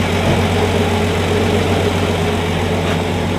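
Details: 1965 Plymouth Valiant 170 slant six, previously stalled after 3-5 minutes from carb boiling due to missing heat riser; after junkyard exhaust manifold with heat riser valve, junkyard intake and reman carb: normal idle, steady low rumble settling smoothly, no misses or knocks.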